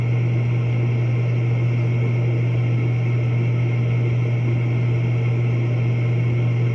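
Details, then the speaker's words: Horizontal propane warm-air furnace in commercial office attic, roof-vented, after fitting and adjusting a new universal igniter to reach the flame; fires every time and blower runs; strong steady low hum, soft even air rush, no rattles or surging; normal operation. "fired right up we had to put a new igniter in it Universal igniter and I had to adjust it a little bit because it wasn't quite getting into the flame to ignite properly but now it's lighting right up every time and blur comes on it sounds good"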